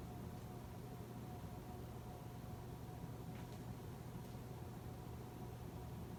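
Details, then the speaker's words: 2004 Casablanca 19th Century 54-inch ceiling fan, XLP-2000 motor, Inteli-Touch control using resistors for speed and capacitor for start windings: quiet steady low electrical hum as speeds switch, louder than during light changes; motor buzz on speed change. "I will also say that on Inteli-Touch, instead of capacitors, they use resistors to change speeds. However, it still uses capacitor for start windings. You may hear the fan buzz when I change the speeds, louder than when I did the lights."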